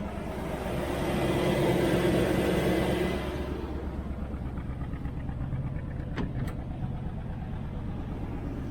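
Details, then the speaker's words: 1968 Nomad with side pipes, heard from the missing side at idle: an uneven, stumbling beat about three times a second. The miss is felt pulling off on light throttle and clears at full throttle. Long-standing, cause unknown; compression test planned. "it seems to run good and you can't really feel the Mist you come to this side and you can hear it see"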